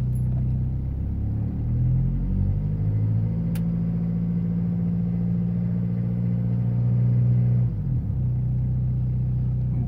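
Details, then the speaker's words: 2000 Toyota Land Cruiser Colorado VX J95, 1KZ-TE turbo diesel, 214,000 miles, heard from the cabin: a deep, steady diesel idle, even and settled with no knock or rattle; the engine is described as running sweet. "mileage 214 thousand and runs sweeter than that as they say"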